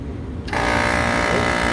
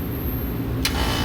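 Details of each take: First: Bar AC condenser compressor on three-phase after rewiring contactors to lug style: kicks on with a harsh, buzzy, rattling drone instead of a smooth hum, running backwards from reversed phase rotation at the compressor; fixed by swapping two leads. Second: Bar rooftop AC unit that kept tripping its main breaker, after a full rewire and after reversing the phase rotation: steady, deep compressor hum with a clean start and no grinding or labouring; compressor now running correctly.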